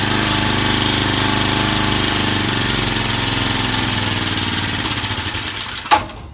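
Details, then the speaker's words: Vintage Cooper Klipper reel mower with an old points-ignition flathead Briggs, started on choke after WD-40 was sprayed around the carburetor throat. It fires at a quick, steady rate and then shuts off cleanly, with no misfires; running smoothly. "not bad what can i say you cannot beat these old flathead briggs as i don't care what you say"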